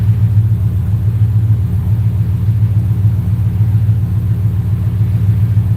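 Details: 4.6 V8 running Terminator X V2 ECU during idle tuning, idle set to 800 rpm with IAC at 42: low, even rumble at steady speed with no misses, knocks or hunting; normal idle.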